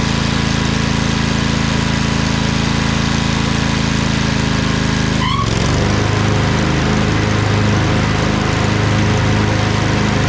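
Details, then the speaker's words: Craftsman LT2000 lawn tractor repowered with a Briggs 20HP Intek V-twin, owner suspects a blown gasket. After about 10 minutes under PTO load: steady, even thrum that dips briefly midway as load shifts, then settles, no misfire, no smoke. Normal running. "it's been running for about 10 minutes there's no smoke"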